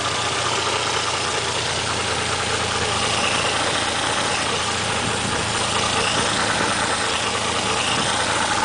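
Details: Toyota 1JZ-GTE swapped into a Supra, unknown miles, idling after a cold start: a light, uneven knock of about two per second, suspected rod knock. The owner suspects the weak original oil pump gives low oil pressure at start-up; it never ran low on oil.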